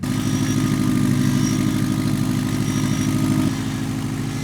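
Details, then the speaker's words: 2007 Subaru WRX STI, abandoned with blown motor, first start after being made to run: rough steady idle with quick puffing tick about three per second, an exhaust leak apparently from the EGR port on the right side. "it runs it's got a rough exhaust Le where is it it sounds like it's coming from that EGR port on the right side"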